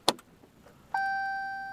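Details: 2015 Ram EcoDiesel that intermittently won't start for over five minutes, then cranks fine, after a cold night: one sharp click at the key, no cranking, pump hum and dash chime; starter not engaging, likely starter or solenoid.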